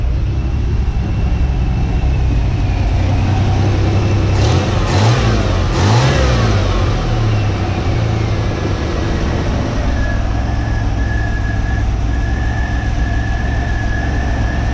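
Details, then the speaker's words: 1985 Chevy C10 with new custom exhaust, new belt, tensioner and idler pulley, starts and runs reliably with temperature steady: steady idle then clean blips rising and falling smoothly, no squeal or chirp. Normal revving; exhaust louder than wanted but acceptable. "I think the exhaust sounds halfway decent I didn't want it to be as loud as it is but it'll be okay it's not super loud"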